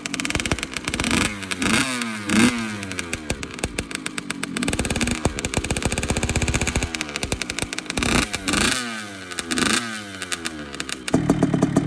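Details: Two-stroke bike after replacing the silencer packing: crisp revs rising and falling cleanly through repeated throttle blips, no rattle or raspy buzz from the silencer; normal, healthy exhaust note.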